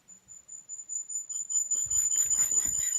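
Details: Unexplained thin, very high steady tone behind irregular chirps and beeps with no clear pattern, heard from a home computer while recording; source and cause unclear.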